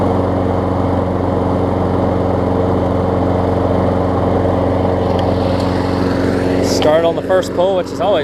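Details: Craftsman self-propelled mower after new pull rope, spark plug and air filter: small single-cylinder engine holds a steady, even drone with no misses, surging or knocks; normal running.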